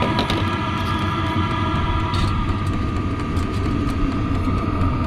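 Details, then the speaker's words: Vevor 5 kW diesel heater exhaust with small factory muffler, compared with none and aftermarket: steady low rumbling roar with faint hum on top; factory muffler lets much exhaust noise through, aftermarket one far quieter. "and the factory muffler. I'd say that's a pretty big difference."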